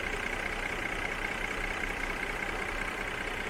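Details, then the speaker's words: 2018 Mercedes GLE 350 4Matic V6 with Motul oil, warm, hood open: a steady, even idle hum with no misses, knocks or ticks; smooth, healthy idle. "idle so smooth"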